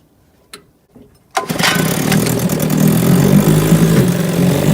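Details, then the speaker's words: 1957 Evinrude 7.5 outboard, stalls on deceleration after optimal high-speed setting, low-speed needle one and a half turns out, new fuel tank: pull-start catches, runs unevenly with popping sneezes; owner suspects not enough fuel, carburetor possible. "Sneezing again. So that indicates to me that it's not getting enough fuel."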